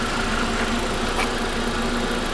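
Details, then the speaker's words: Old Volkswagen station wagon at a salvage auction yard, just started, oil golden and cooling system pressurized, secondary air pump running: steady, even idle with a smooth beat, no misses or knock; engine runs really well. "but she runs good she runs really really well it looks decent"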